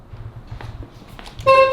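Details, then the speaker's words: Porsche 911 after a new steering wheel was fitted: background clatter, then a loud, steady two-tone horn blast sounding cleanly; the horn works, though the owner finds it a dinky horn. "If you guys know my fleet, every single car I buy tends to have a really dinky horn. This is one of them."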